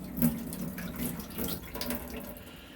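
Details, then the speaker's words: Rumbling, low fluttering pipe noise with faint hum when the cold side of a two-handle kitchen faucet is opened; happens at all fixtures in the house, so likely the pressure reducing valve (PRV) on the water main, not water hammer. "Okay, so that is the sound and it happens all the time. Now, because it's not only happening at this kitchen sink, it's happening at the tub upstairs, bathroom sink somewhere else in the house, that is telling me that this is more than likely the pressure reducing valve, or also known as a PRV on the water main."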